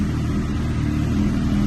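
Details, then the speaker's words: Police-auction, neglected K9 Suzuki GSX-R1000, just started: short burst of smooth, steady idle with no rattle or tapping; running good, normal GSX-R sound. "Okay, as you can see, it's running good. It's not rattling. It's making GSXR sounds."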